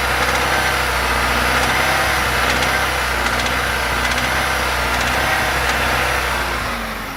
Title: Стук в двигателе